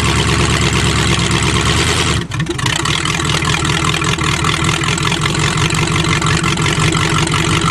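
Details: Hydrolocked engine revived (one cylinder had water, some plugs still wet), started on choke: rough but steady idle, even low rumble with a brief early dip; running again after being cleared.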